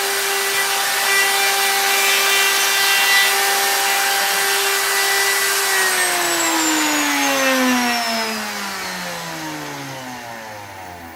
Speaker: And that end mill is really, I don't know, it's sticking pretty far out. You can hear the chatter. Even though it's supported with the bearing there, it's still a lot of end mill sticking out.